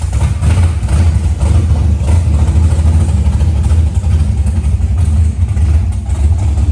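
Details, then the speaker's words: Car just fitted with a new 225 amp alternator, sat all day, started to check voltage: heavy, loud, unevenly throbbing low idle rumble; excessive engine noise, source unclear. "All right. Something something ain't right, y'all. Yeah, it's loud. Something ain't right."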